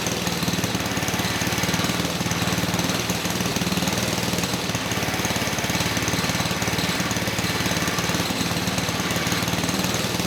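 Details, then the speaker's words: 1959 McDonough T-10 Tin Lizzie go-kart small engine, reassembled after 30 years and earlier no-compression troubleshooting, mounted on kart while idle is adjusted down: fast, even putter about four beats a second, no knock or miss; normal running. "Okay, good. So, the engine sounds good. I was trying to adjust the idle down a little bit."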